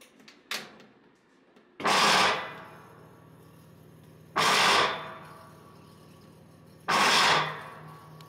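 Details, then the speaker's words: GE top-load washing machine agitating or spinning: harsh grinding bursts about every two and a half seconds over low motor hum, most commonly from worn gears on the white plastic clutch. "the most common culprit is the big white plastic gear you see here called the clutch if the gears of the clutch are worn down it will often cause the noise that you heard at the very start of the video"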